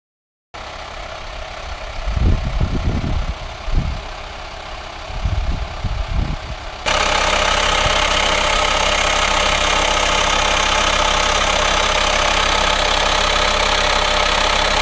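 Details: VW Transporter T5 LWB T32 2.5 diesel 6-speed camper van, engine idling: loud steady hiss from engine bay covering engine sound, heard while checking under bonnet; owner suspected vacuum leak, not confirmed (no auxiliary belt-driven pulleys on this engine).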